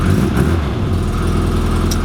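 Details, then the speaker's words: Classic Mini Sprite 1275cc, running, also due a head gasket and temperature sensor: light, quick, regular tapping over a steady idle; exhaust blow suspected at the exhaust manifold-to-downpipe joint, not yet confirmed. "So yeah, hear that tapping coming from the engine bay. Now I believe that is going to be the link between the exhaust manifold and the downpipe, and there's a bit of a join"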